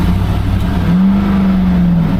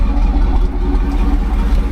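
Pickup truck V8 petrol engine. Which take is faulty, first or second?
first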